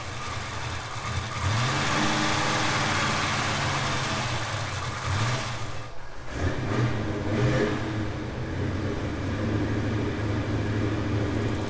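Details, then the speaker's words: Twin-turbocharged 1957 Chevrolet Bel Air 2-door hardtop restomod, just after engine reinstall: smooth, even idle with a light rev, faint fast injector clicking, no knocks; quieter than it has been since initial fire-up, normal idle. "awesome it hasn't been that quiet forever forever basically not long after initial fire up"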